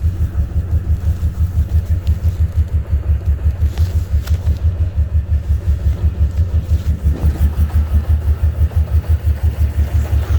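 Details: 2003 5.7 Hemi V8 with no misfire and no codes, running rough and rich: deep idle with heavy uneven lope about three pulses a second rising and falling; cause unknown.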